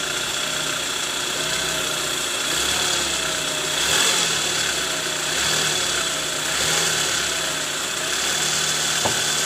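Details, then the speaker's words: Toyota Alphard 2AZ-FE after fixing worn balancer shaft (loose gear no. 1) that caused rough noise near oil pan on cold starts, heard from underneath: even smooth idle hum with no knocking; normal idle. "Oke Guys sekarang bunyi mesinnya udah halus ya jadi terbukti bahwa"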